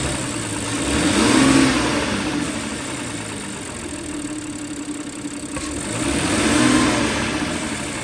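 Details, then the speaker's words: Audi A6 V6, about one month after purchase, recorded with the hood open: a light, regular ticking of about four per second at idle and low-speed driving that rises with revs and is louder once warm after a drive; owner suspects a stretched timing chain, unconfirmed. "现在声音很明显。我不知道这个是什么原因啊，就是哒哒哒哒哒哒哒哒哒的，不知道是不是正常的。"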